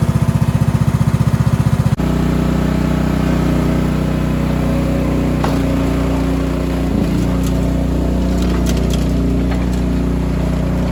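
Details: Cub Cadet 2146 lawn tractor, 14 hp single-cylinder Linamar engine, sitting 3 years; after choke repair: starter cranks two seconds, then it catches and runs steady and even, no missing or hunting. Fuel leaks from rotten carb bowl.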